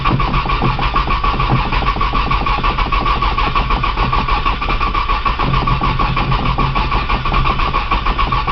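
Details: Cold 1995 Nissan Maxima, 210,000 miles, push-button start, in snow, on jump box after priming fuel: starter churns the engine over at an even pace throughout but it never catches. Long crank, no start.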